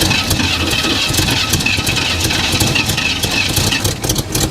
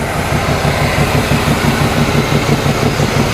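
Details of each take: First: 1987 Chevrolet Monte Carlo SS V8, first start after sitting 20 years, orange rust smoke: lumpy but steady idle with deep burble, no knocks or misses; compression on both banks, engine sounds good. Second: 1987 Chevrolet Monte Carlo SS, first start after sitting 20 years, heard under the hood: rapid regular ticking puff about three per second over the idle; exhaust leak to be addressed.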